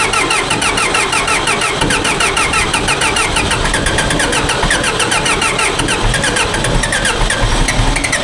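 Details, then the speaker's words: Old John Deere 410 backhoe diesel, new starter and fuel filter fitted, cold start at about 34°F after a 26°F night: harsh rapid rattling chug, loud and steady, through a slow reluctant start that eventually catches. "Not bad, folks. We'll take it. It started okay. I mean, that's really not a good start, but at least it"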